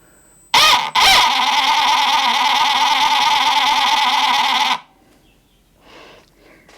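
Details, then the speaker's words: Arma Fury RC truck just fitted with a new Spectrum Firma brushed motor replacing a dead one: loud, steady, high-pitched scream as the drivetrain spins up; owner suspects a worn spur gear, which later failed. "very loud. I'm wondering if I'm going to have to get a new spurgeear eventually. It's kind of what it's sounding like to me."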